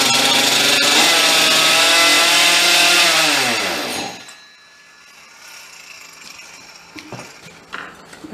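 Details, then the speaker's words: Husqvarna 266 chainsaw, stock, before rebuild, needing a carb kit: two-stroke screams at a high steady idle, then winds down and stops; idle speed set far too high. "idle is set extremely high"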